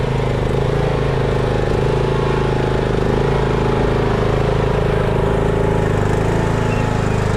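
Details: Craftsman riding mower that sat two years, after a dead battery and bad connections were fixed and the starter and carb replaced. Steady, even single-cylinder putter at constant speed with no misses, knocks or surging; normal running.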